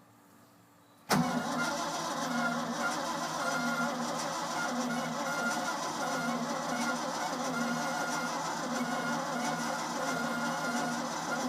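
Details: Ford F-600 with carburetor after fuel pump replacement and spark plug change, new pump heard running: starter cuts in and cranks evenly without catching; cranks but no start.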